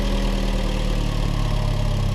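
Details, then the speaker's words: Chevy Trax 1.4 after installing an aluminum valve cover to fix the PCV issue (owner suspected a broken PCV diaphragm): steady, even idle hum, and the previous hiss/sucking noise is gone. Normal idle after repair. "okay that was kind of weird it's installed so now we don't have that noise anymore we don't have the sucky sucky noise anymore seems like we fixed the car"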